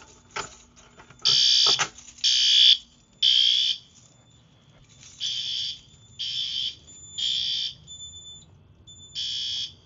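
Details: Yearly fire alarm system test, BG-12LX pull station with addressable module pulled; loud shrill alarm tone in steady bursts about once a second: fire alarm activated.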